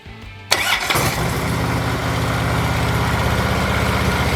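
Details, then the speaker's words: Harley-Davidson Ultra Limited after starter replacement (old starter clutch suspected of failing to engage the primary): V-twin cranks briefly, catches quickly and settles into a steady, lumpy idle; new starter fixed it. "Well, got to say I am happy with that. That seemed to do the trick perfectly."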